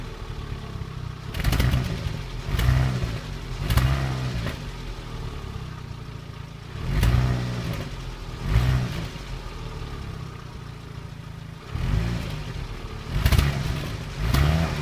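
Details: Renault Clio 1.2 16v petrol misfiring when revved: each blip rises rough and stuttering with uneven pops; car also judders and loses power when accelerating and changing gears (not the clutch), cause unknown.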